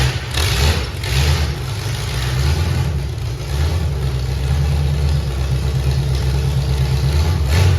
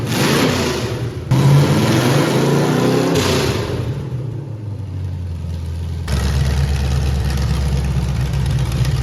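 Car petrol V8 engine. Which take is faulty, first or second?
first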